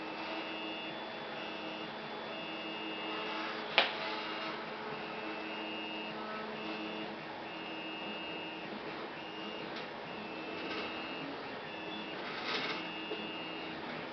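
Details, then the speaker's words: Newly assembled Flsun QQ delta 3D printer, first power-on: faint steady fan hum with short stepper whirs while homing and leveling; quiet, smooth normal operation, slight vertical-panel vibration before rods are greased. "Oh, this thing is much quieter than the Big Cricket used to be. They've done an amazing job at making it quieter. I actually hear the fans running on this."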